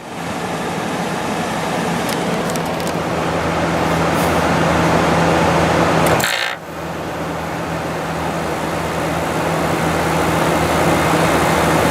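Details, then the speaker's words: 2014 GE 8100 BTU window air conditioner, Gree-made with Gree compressor, cleaned, startup: smooth steady low compressor hum under fan rush, no rattle or knock; very quiet, gets a little louder over time, normal. "that compressor in this one is very quiet of course it gets a little louder as it runs over time but it's very smooth"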